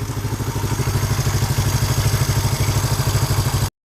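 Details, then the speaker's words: 1972 Honda CL350 twin after carburetor synchronization and idle mixture adjustment; steady, even idle at about 1200 rpm with no popping or missing. "That doesn't sound too bad. It's idling at about 1200. I can live with that."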